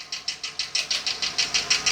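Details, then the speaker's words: 2022 Ford F59 7.3 gasoline V8 idling with a sharp, even top-end ticking about six to seven beats a second; random misfire code P0300, no check-engine light, vacuum normal; camshaft suspected, not rod or valve-piston contact. "Ya lo chequeé, hay código Misfire Random."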